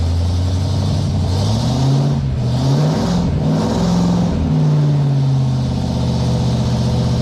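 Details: 1958 Chevy Apache truck with V8 and 4-speed manual, fired up during rejuvenation: deep V8 rumble catches cleanly, revs swell and settle a few times, firing stays even throughout; normal healthy running.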